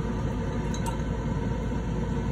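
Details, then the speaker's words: New Nexgrill Oakford 1400 vertical pellet smoker starting initial burn-off set at 300 degrees: steady low combustion fan hum with brief light clink of pellets dropping into the firepot; normal startup running. "okay guys said we set it for 300 degrees to start up the uh smoker you hear the fan going the pill is dropping in there"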